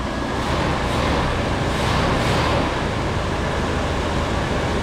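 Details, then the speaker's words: 1977 Ford LTD station wagon V8 that sat 17 years in a junkyard, running on fuel poured into the carburetor bowl and throttle: a steady, even rumble with no misses, knocks or ticks. Motor sounds pretty good, though it may need belts. "Running. Motor sounds pretty good."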